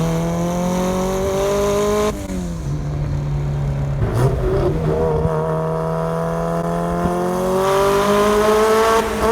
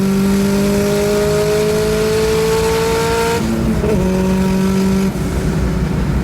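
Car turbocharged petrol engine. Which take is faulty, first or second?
first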